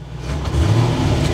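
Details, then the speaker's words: Barn-find Corvette C4 ZR-1 after new O2 sensors and a performance chip: sweet smooth idle, but a slight bog just off idle on throttle blip; owner thinks it needs to calibrate itself, not confirmed. "oh, it's doing that thing where it just bogs down slightly off idle."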